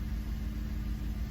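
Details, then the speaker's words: Idle after replacing coil and spark plug number 5 on a 2006 Cadillac DTS Northstar engine (code P0305); steady, even low rumble with no skips or stumbles, earlier cranking shake gone: normal idle. "So let's go take a look at the engine. That sounds pretty fucking normal to me."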